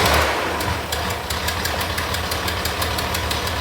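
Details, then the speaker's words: Engine just started after work: sharp puffing ticks, about six a second, over rough idle, sounding like an exhaust leak but really exhaust escaping through a hole a machinist put in the cylinder head. "that sounds like an exhaust leak but really it's a hole in the head put there by a machinist"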